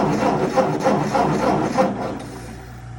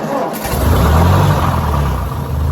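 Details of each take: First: 1958 Ford 871 Powermaster Select-O-Speed tractor with fresh ignition parts: even cranking at about three and a half pulses a second that never catches, with a gas smell; a crank no-start, apparently from no spark in the ignition. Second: 1958 Ford 871 Powermaster Select-O-Speed tractor after ignition parts work: a short crank, then the engine catches right away and settles into a steady low idle; a normal, healthy start.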